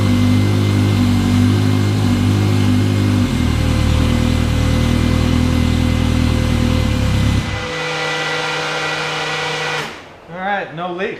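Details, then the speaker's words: 2017 US Legends car, carbureted, just after carb reinstall and jet change, air filters off: firm steady rumble at fast idle holding evenly then cutting off cleanly; runs smoothly without stumbling. "And we're pretty good there, so I'm going to try to fire it up."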